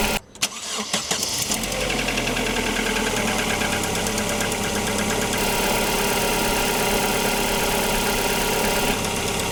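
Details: Opel Antara four-cylinder engine warming up at idle, after RVS G4 additive and 500 km of driving: steady, vibration-free idle with light quick ticking from the injectors plus other side noise; additive made no audible change.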